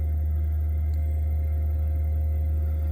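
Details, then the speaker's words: Bailey Pegasus caravan Whale underslung heater (SI4312(B)) after cleaning debris from motor for blocked-vent fault: fan steps from 1000 W to 2000 W setting with steady, even low hum, no surging; running healthily. "Click it to 2,000. Picks up. Sounding healthy."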